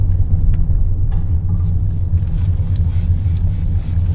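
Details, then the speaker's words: 2015 Lexus ES350 rocked with sunroof tilted up or slid open: only a low muffled rumble and no clunking, unlike with it closed, pointing to the sunroof. "okay so i tell the wind sunroof up like that no more noise watch when it tilt up doesn't matter how much i yank it no more noise okay if i slide out okay no more noise"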